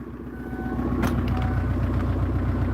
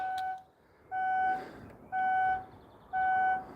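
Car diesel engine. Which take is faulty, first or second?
second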